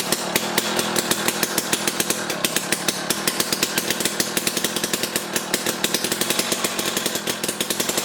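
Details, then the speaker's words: Jiffy Stealth STX 10-inch ice auger with a 3 hp Tecumseh two-stroke, running on fresh 91 non-ethanol fuel. Fast, steady buzz with even firing pulses and no misses or surging; it runs well, though loud and popping. "she really spins holy mackerel so all right so the jiffy here is running good i mean we put fresh fuel in it and then it was popping off and definitely very loud"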